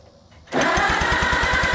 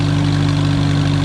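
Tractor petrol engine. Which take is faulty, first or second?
first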